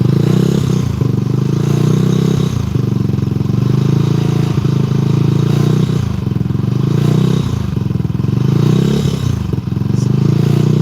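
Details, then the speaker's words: Benelli 135 motorcycle idling: a loose metallic rattle rides over the single-cylinder beat, with odd clatters. Some noise is gone, and a loose fender may vibrate. Source not pinned down; the rider asks whether it's the valves. "Some noises gone, but not all of it. Yeah, And your fender vibrates just like how mine did when mine was loose."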